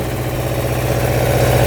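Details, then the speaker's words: Suzuki Quadzilla quad with swapped KZ 750 engine on its first test drive: strong, even low thump building smoothly as it revs out fully, no misfire or rattle; running well. "revs out completely I just can't believe it's running this good and it moves"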